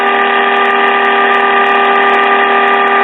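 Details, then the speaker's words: 1951 Sentinel AM tube radio during alignment: steady, buzzy 455 kHz test tone at an even level through the speaker, no crackle or fading, while a trimmer is adjusted for minimum output. "right now we're adjusting this trimmer for minimum 455 kilo cycle output"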